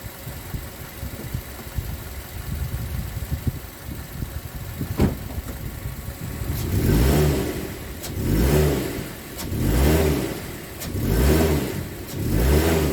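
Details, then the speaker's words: 2006 Mazda 3 2.0L, stationary in gear, outside view while tapping throttle: each blip brings a surge with a sharp pop and rattle about every 1.5 seconds; suspected worn engine mount letting engine rock, heat shields ruled out; worse in drive. "You can hear the rattling and the popping noises as you're just driving normally."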